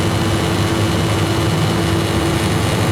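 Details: Refrigerated chiller trailer, after replacing the burnt compressor relay with a Supco relay, capping a leaking Schrader port and adding about 100 g R404A in cold weather: steady even hum, no knocks or rattles; compressor running normally.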